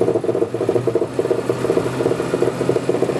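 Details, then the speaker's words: 1957 Lincoln Premiere Landau hardtop driving, turning sharply: rhythmic mid-pitched chatter about six pulses a second over drive noise, tires may rub at full lock; shocks suspected, not confirmed. "I think it's the um shocks up there um lines are leaking a bit you got a couple leaks on that"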